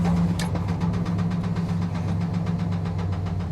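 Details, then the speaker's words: Salvage-auction truck at Copart, started off a booster pack, oil an odd colour: loud steady knock hammering every revolution at idle above the engine drone; heavy engine knock with no oil pressure. "it's got no oil pressure the engine is knocking not just a little bit that engine is knocking heavy that is a heavy heavy knock"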